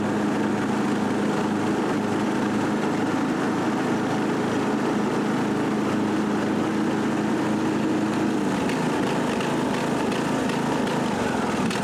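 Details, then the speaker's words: Husqvarna lawn tractor after taping an exposed, shorting wire that killed the battery and blew fuses: steady small-engine drone with deck spinning, no misses or knocks; normal running after repair. "That's it. Mower is working, and that's a common error, mechanical short of the wires."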